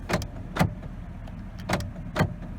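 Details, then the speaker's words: Power door locks cycled during used-car inspection of a car with about 149,000 miles: four crisp clunks in two quick pairs, each actuator snapping firmly home; all four door locks work normally. "power locks let's make sure they work"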